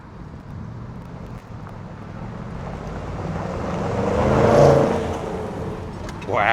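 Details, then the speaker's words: Range Rover Sport SVR, replacement 5.0 L supercharged engine fitted after a major failure, up to temperature, brakes not yet cleaned up: revs climb smoothly to a crisp peak and fall back cleanly with no knock or rattle; healthy. "wow that is that sounds crisp as anything and that did just take off"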